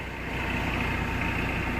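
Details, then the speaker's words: Mitsubishi Pajero diesel after fixing fuel tank issue that stopped fuel reaching engine, started on jump pack: even, steady diesel clatter at idle, no hunting, misses or surging; normal diesel idle. "you can see that now you can see it sounds good let's take it for a test drive and see what happens but yeah sounds good right so there we go it's made a huge difference it's amazing a diesel engine actually getting diesel how much difference it can make"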